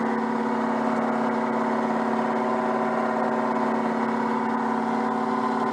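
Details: Peugeot 104 GLS on stands, engine running with wheels turning: steady droning hum at even pitch, occurring only with the right front wheel, not the left; wheel bearing has no play, no binding, cause unclear.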